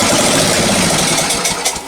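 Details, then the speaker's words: Free lawn tractor engine, likely unrun for many years, fired on a drop of primed fuel in the cylinder with kill wire disconnected: loud ragged, smoky firing about two seconds, fading as fuel runs out; engine can run. "awesome oh smokey joe that's probably the first time it's run in many years"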